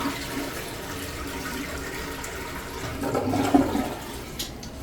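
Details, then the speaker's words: Toilet after rebuild of tank internals (new fill valve, flapper and handle), lid on: strong clean rush drains the bowl in one go; normal flush. "Alright, so now we'll just wait for that to fill up, and you can tell when that water stops running there you go, and you can hear it shut off."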